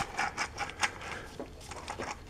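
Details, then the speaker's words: 2001 Polaris Sportsman rear wheel bearing, removed and spun by hand: gritty, uneven rasping clicks in quick bursts instead of a smooth spin, a worn rough bearing due for replacement. "not sure whether you got a camera picks that up but boy that doesn't sound good"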